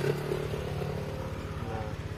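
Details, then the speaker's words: Honda Vario CBS 2012 fuel-injected scooter after its injection was cleaned with carb cleaner: a steady, soft low putter with even pulses and no misses or rattles; smooth, clean idle. "Ini hasil dari setelah disemprot pakai carbo cleaner teman-teman. Suaranya adem guys."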